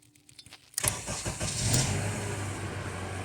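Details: 2008 Honda CR-V with intermittent hesitant start or no-start, starter already replaced by another shop without change; during starter-circuit voltage-drop testing, a few clicks, then brisk cranking and a steady idle; normal crank and start.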